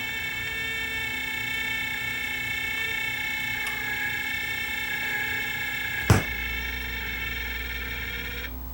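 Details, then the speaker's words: Loud, steady high-pitched howl from a fully mechanical record-changer turntable motor set for 45 RPM, suspected dry motor bearing needing disassembly and lubrication. "That sounds like a bearing in the motor, actually, doesn't it? Look at that noise. That's horrible."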